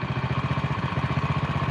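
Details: Honda Win single, idle turned down below 1500 rpm: uneven, labouring knocking pulses; idle speed set too low, and the knock grows the lower it goes.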